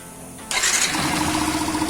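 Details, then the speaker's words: Yamaha Factor 150 after stator replacement, which cured a bad left-side engine noise and restored battery charging: starts at once and settles into a smooth, quiet idle with no knock or rattle. Normal start and idle. "Aí, ó. Resolvido, pessoal. Quietinho o motor."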